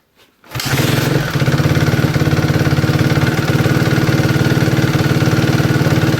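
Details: 2011 Suzuki RMZ250 single-cylinder, 2–3 hours after a top-end rebuild, cold then warm starts with idle varied, carrying a light rhythmic tick; owner suspected valve clearance or timing chain, but it had been timed wrong; fixed.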